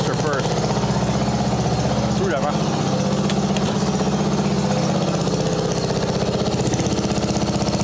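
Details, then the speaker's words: Mastercraft 12.5hp 38-inch riding mower with a flathead single, after carb repair: steady, even putter at a settled speed with no misses, surging or knocks. It runs normally. "that's our idle there I like that it is a flathead they don't run the same as the overhead"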